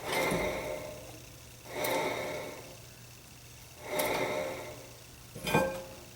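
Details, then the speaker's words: 2009 Dodge Journey SXT 2WD, 3.5L V6: rear hub turned slowly by hand with caliper and pads removed gives a dry, gritty rasp once per turn; no rear differential or axle on 2WD, so rough rear wheel bearing. "not a good sound for a wheel bearing up this is a two-wheel drive so you don't have any differential back here so that's not a possible source of the noise so it's definitely that wheel bearing over there"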